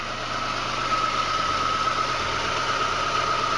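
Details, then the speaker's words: 1986 Chevy Sprint four-cylinder just fitted with a 1979-80 Datsun 210 carburetor on a custom spacer, vacuum lines reconnected: steady, even engine note with no misses, knocks or hunting, a faint constant high tone over it; running smoothly. "all right let's start it up to see how it sounds on high runs yeah this puppy sounds like it's running really smoothly"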